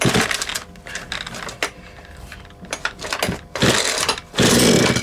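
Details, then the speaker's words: Husqvarna 236 chainsaw, reassembled after the previous owner took it apart when the chain stuck in a log, started after priming with choke on and a bit of throttle: uneven pull-cord bursts, pops and brief firing, then rough revving spurts; it has compression and runs. "Oh yeah, it's gonna run."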